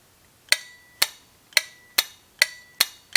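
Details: Relay in a 1952 GM Autronic-Eye headlight dimmer accessory, energized from a weak dry cell on bench test, clicking crisply about two a second as it pulls in and releases normally.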